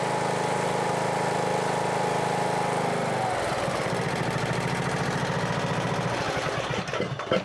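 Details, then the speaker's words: Husqvarna riding mower with Briggs & Stratton engine after replacing a camshaft with a failed decompressor, which had made it crank like a dead battery: starts easily and settles into a steady, even idle with no knocks or misses; normal. "see if it starts easy again awesome before it was starting with well cranking like it had a dead battery"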